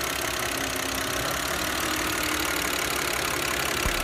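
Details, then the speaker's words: Audi C6 2.4 idling after an intake-manifold knock was repaired by cleaning and slightly bending the intake flap shaft: steady, even idle with no knock, tick or rattle; the rhythmic clanking is gone and the idle is normal. "家现在可以听到这个声音一点都没有了，彻底消失了。"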